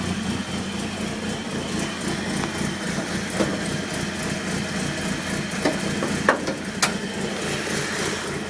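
Idle runs unevenly with a lumpy, wavering beat and occasional sharp stumbles; a rough idle, cause not yet pinned down.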